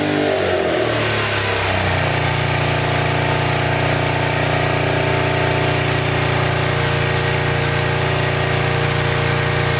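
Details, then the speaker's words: 1986 Honda VT500 Shadow V-twin, long-stored, at idle: steady but lumpy, uneven beat with the rear cylinder dropping out; owner believes airbox water is shorting the rear plug, and rusty water is pushing out of the radiator cap. "that's why i don't want to pick up on this rear cylinder because the water is shortening the plug out"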